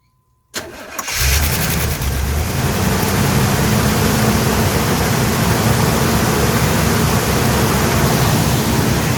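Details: 1982 Pontiac Firebird after sitting 22 years, carb rebuilt, new plugs, wires, fuel pump and filter, vacuum leaks fixed: brief crank then catches at once into a steady even idle, no misses or knocks; healthy start.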